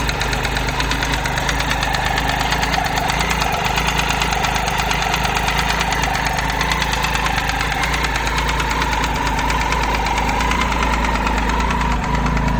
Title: Triumph Tiger 800 XC 2013 ticking sound from the engine